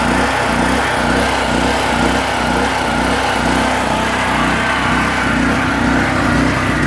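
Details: PowerSmart PS44 3000W generator that sat unused since 2017, unloaded, on choke with old fuel: steady drone with an uneven surge about twice a second; rough running, cause unclear.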